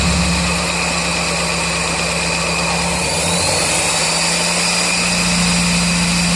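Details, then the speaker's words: 1999 Mazda Miata, ticking began after track sessions and did not change after valve lash was set to spec and the oil changed; steady tapping at idle on all four cylinders, louder as revs drop, loudest above the #4 plug; cause unclear. "Hear that tapping right there? And if I rev it, usually gets a little louder when it comes back down."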